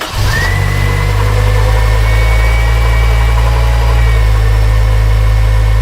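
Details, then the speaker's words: Honda Civic EP3 Type R at idle, belt still on, before removing drive belt to test: steady high whine over a smooth idle that does not change; noise from a belt-driven component, a rough idler pulley bearing. "I'm going to take the drive belt off and I'm gonna run it briefly and see if the noise goes away before I do that I'm gonna give you a listen to the noise"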